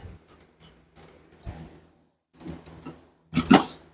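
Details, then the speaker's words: Budget GT45-turbo Mustang, tune recently adjusted and possibly too lean (poor cold start, surgy idle): sharp, irregular metallic pings and clicks as the engine shuts off, sounding like detonation. Owner also hears accessory-drive knocking; the source is unknown, engine or elsewhere. "it does make a weird accessory Drive is making a weird knocking noise I don't know what it is it 100% sounds like detonation when you shut it off kind of makes that pinging noise"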